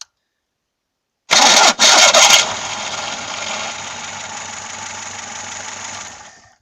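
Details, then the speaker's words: VAZ 2106 (Lada) warm engine cranking: harsh high-pitched screech, worse when cold, with slipping during start; starter drive (bendix) worn, recently lubricated starter still squealed; new bendix fixed it. "А когда на холодную он вообще скрипит вот такой противный просто-напросто нехороший звук"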